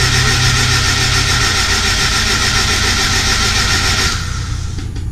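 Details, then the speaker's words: Honda S2000 engine cranked with spark plugs out, fuel off, no coils and throttle closed, to lube it before the first start. Fast, even cranking at about 220 spins a minute with no firing, then it stops. Normal plugs-out cranking. "I'm gonna crank it over without plugs and just make sure everything else gets lubed up nice and easy. I wanted to crank it over without any plugs in it. That way it cranks over a little bit easier on the engine."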